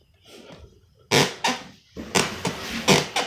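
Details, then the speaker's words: Short creaky squeaks in pairs as weight shifts on a loose hardwood floorboard, before a WD-40 fix. "we got this board the board squeak"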